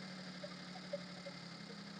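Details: Maruti Suzuki Alto petrol engine after fixing over-racing high idle: restarted, settles to about 750–800 rpm, low steady hum with even beat and faint stray ticks; normal idle.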